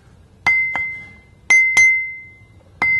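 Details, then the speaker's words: Grinding wheel ring test, tapped about 45 degrees either side of the centre line: six light paired taps, each a clear high ring that fades slowly, so no crack. "you can clearly hear the ring when we tap this wheel so it doesn't look like it has a crack"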